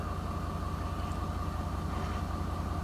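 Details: Ford 6.7L diesel, 14,605 miles, hot, idling at 600 rpm: busy, clattering low drone with a thin steady whine; low oil pressure on start, occurring only between 68 and 95°F and caused by one part.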